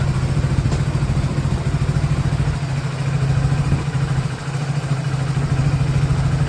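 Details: 2024 Hero Passion Plus BS6 after fixing knocking and cutting out: steady low single-cylinder idle that dips briefly on a throttle blip and recovers cleanly without stalling or knocking; normal idle and throttle response.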